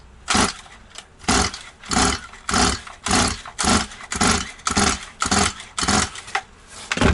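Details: Stihl 180 chainsaw after piston and crankshaft seal replacement, carburetor and tank empty, choke closed: about nine rasping pull-cord strokes, roughly one a second, never fires; too much oil in cylinder, started once a little petrol was sprayed in.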